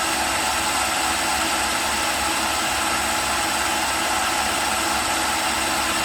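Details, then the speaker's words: Makita drill on a test rig, about three minutes into a run on a comparison battery pack. Steady high whine sagging slightly as the drill slows. It reads 11.6 V and 9.2 A, the voltage starting to drop. "11.6 Vols just starting to drop off a bit on the TR current 9.2 okay we're about halfway to what this battery battery a gave out not sounding quite so"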